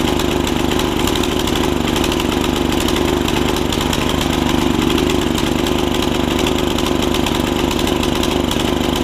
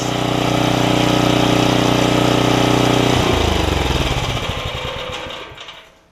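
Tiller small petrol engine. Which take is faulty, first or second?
first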